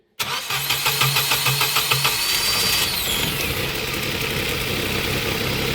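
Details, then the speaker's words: 2015 Ford Ka 1.0, flooded, three injector connectors unseated so no fuel injects while cranking: about two seconds of even quick compression pulses, then catches and settles to steady idle once injectors are reconnected; flooded engine cleared and started. "Isso vai fazer com que os bicos não injete, porque ele tá afogado. O Dick vai dar partida."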